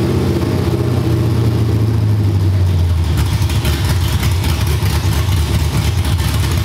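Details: Cammed LS V8 in a G-body, after troubleshooting an injector stuck open: lumpy choppy idle with deep steady beat and clean revs, no popping or misfire, no smoke or heavy gas smell; normal idle.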